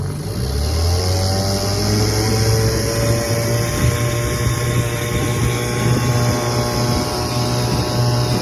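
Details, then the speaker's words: 1957 Evinrude 7.5 hp two-stroke outboard on lake test run after carburetor jets in the manifold were cleaned, running without hood: steady even drone at constant speed, no sputter or misfire; running healthy. "cleaned out the Jets inside the carb manifold and she runs good now"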